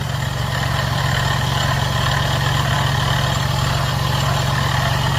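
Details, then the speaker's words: 2009 Jeep Grand Cherokee 3.7L gas at idle: a rough whirring hum rides over the engine at the front; the water pump shaft shows a lot of play, worn water pump bearings making the noise. "that's bad hold tight before I take the belt off I want y'all to see something y'all see that that's a lot of play now here go the big test right here yall see that ladies and gentlemen we need a water pump o that's what making that noise"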